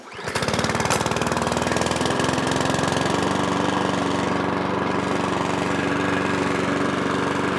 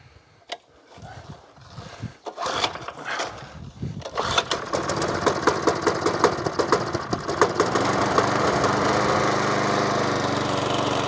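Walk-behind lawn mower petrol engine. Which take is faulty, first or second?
first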